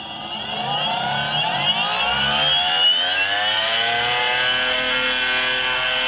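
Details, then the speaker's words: Boosted Stealth electric skateboard, under a month old with just over 200 miles, spun with the right wheel held: hub motor whine rises with a rough grinding/clicking that gets louder with speed. Back left motor suspected, unconfirmed. "and yes that sound does get louder and louder the faster you go"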